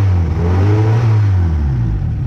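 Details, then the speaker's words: Engine just reassembled after head gasket replacement (pistons had probably lightly hit the head before): deep steady note rising and falling evenly with revs, no knock or tapping, quieter than with the old gasket; normal running. "it's running pretty good but uh it's all wet outside so so we'll have toh play with it another day but sounds good sounds better than it did with the other [Music]"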